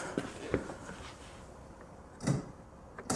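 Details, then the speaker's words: Citroën C6 headlamp after xenon bulb replacement, engine off: a few small sharp clicks in pairs each time main beam is switched, as the headlamp shutter trap door snaps open and shut normally. "can hear the little trap door opening and shutting. Oh, no. So that's shut. Open. Shut. Open. Shut."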